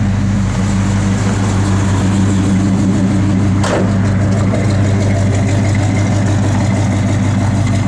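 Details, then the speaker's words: 1972 Chevrolet Chevelle SS, 454 ci big-block V8, 4-barrel, factory manifolds, Flowmaster dual exhaust, 1000 miles since frame-off restoration; deep, even lumpy rumble at idle with no ticks or knocks: normal idle. "Big block sounds good."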